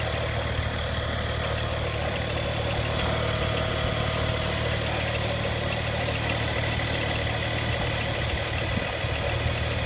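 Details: BMW N55 335i, sound from the engine bay: a steady petrol engine idle with a light, fast ticking on top, roughly three ticks a second.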